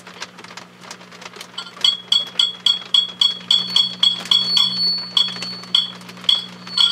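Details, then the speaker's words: HP 400H with signal tracer gain raised, tube gently tapped: each tap sets off a short, high-pitched squeal ringing about twice a second over low hum; microphonic tube feedback oscillation. "now what it does is it goes into like an oscillation i'm adjusting the volume control on my ico signal tracer i'm not touching anything else on the instrument"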